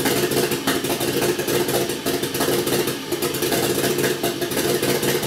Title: 1jz first start misfiring.